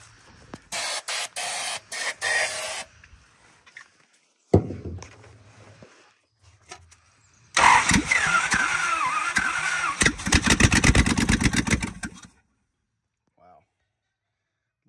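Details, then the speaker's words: 1970 Dodge D300 wrecker, long-sitting, one exhaust manifold missing: repeated cranking bursts, a short ragged catch that sputters and dies, then silence; owner suspects it has little fuel. "I'll be darn it lives thank you see how long it lives for I think this thing's got any fuel in it that we could have let's try it again"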